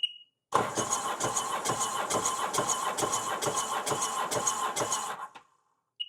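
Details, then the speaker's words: 2007 RXP supercharged 215hp jet ski compression test; the starter cranks steadily with even compression pulses about twice a second, reading 150 psi on this cylinder (others 130 and 145), normal cranking with good compression. "goly guys that's 150 on that one very good"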